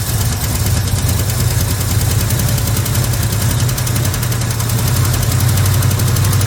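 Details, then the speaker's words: 1966 Chevy C10 small-block V8, first start after sitting a long time beside a barn, with the fuel line disconnected from the tank to avoid varnished fuel. Deep, steady burble idling evenly with no misses or knocks; runs fine. "All right, she's a runner. And that's just the way these small block Chevys are, guys. Man, if it turns over, it's going to run."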